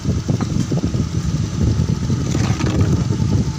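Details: Honda Beat FI scooter tested after a fix for rough engine noise: low, steady putter at idle with even firing and no knocks or rattles; the engine sounds healthy.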